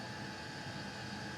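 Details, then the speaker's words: Custom Webasto water heater and Chinese diesel heater hybrid at max after about 5 more minutes; radiator almost 90°, burn chamber 140, cooler passage 60s; soft even rushing roar, no pulsing or popping; normal full-output running. "now we're using the diesel heater let's turn it up to Max and leave it five more minutes about 5 minutes has passed and that is hot"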